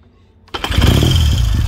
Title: 1969 Triumph T100c one kick cold start after rebuild